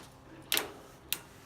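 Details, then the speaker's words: G0709 lathe gearbox, spindle turned by hand without chuck while checking a lead screw issue: two crisp, sharp clicks about half a second apart as the selector drops positively into X then W; normal detent engagement. "can hear the positive click when it's an X as I spin this spindle you hear the positive click as it's in W"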